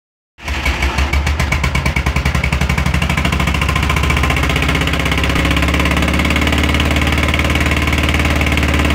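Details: VW Beetle (Fusca) air-cooled engine starts and idles with a loud rattly clatter at roughly three or four beats a second over the exhaust; source unclear, abnormal engine noise.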